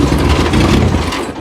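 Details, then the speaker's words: Demolition-derby Honda Accord after the derby, fuel positive line ripped off in the ring but tank holding pressure: engine catches briefly, runs rough and uneven, then sputters and dies within a second; gears damaged, reverse now neutral. "It kind of like sputters and then dies."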